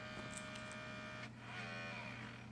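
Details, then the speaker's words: LG DVD burner on a test jig, all eight screws installed: faint electric whir rises and falls for under a second but the tray never ejects; tray motor runs, tray belt suspected blown. "see if it will eject or if the tray belt is blown like these things always are it's making good enough contact that sounds like the tray belts blown"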